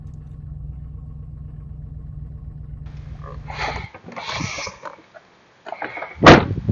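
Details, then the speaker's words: Chevy Trailblazer EXT, GM 5.3L V8, just after replacing both downstream O2 sensors: about four seconds of quiet, smooth idle with an even low rumble and no misfire or tick. Normal idle. "start it up and see how it's running and then wrap up this video all right running great"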